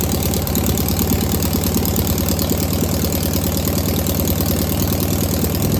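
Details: Single-port air-cooled engine restarted after confirming valves are oiling (distributor possibly a tooth off): steady low even putter settling into smooth idle, no misses or knocks; normal idle.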